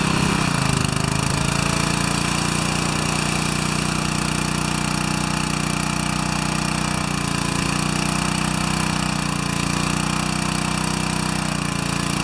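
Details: Four-horsepower Briggs & Stratton vertical pressure washer after unloader bypass repair, 8 mm lock nut set: steady, even engine drone at constant speed with no surging or knocking; runs smoothly and holds pressure in the final test.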